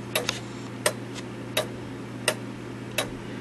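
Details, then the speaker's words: 1913 Gilbert count-wheel clock after movement overhaul, movement just refitted in case: sharp ticks about 85 a minute with uneven tick-tock spacing; out of beat, needing crutch adjustment. "And the only thing I had left to do was to put it back in the case and adjust the beat. Now, I guess you can hear the ticking right"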